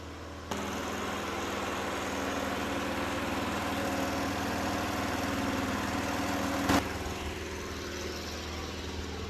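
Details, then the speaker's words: Craftsman Eager 1 push mower, near 20 years old, after new spark plug, cleaned exhaust and fuel leak fix: steady low putter, no misses or dying, but idle sits slow; low idle speed, carburetor adjustment suspected. "I don't know, it seems like it's not idling as high as it probably should be. I think maybe I still need to play with the carburetor a little bit."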